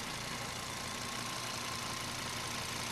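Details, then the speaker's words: 2003 Volvo XC70 Cross Country AWD wagon, timing belt changed at 108,000 miles: quiet, even idle with steady hum, no knocks or misses; runs super quiet, no oil leak. "So it's really ready to enjoy. The car runs super quiet."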